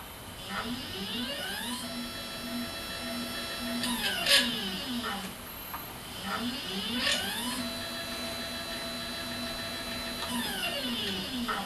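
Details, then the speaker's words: Skywatcher NEQ6 Pro mount with the original gear drive, before the belt modification: motor whine sweeping in pitch over a rough, gritty grinding while slewing, a bit better on the declination axis. "bit better but still you can hear that grinding noise"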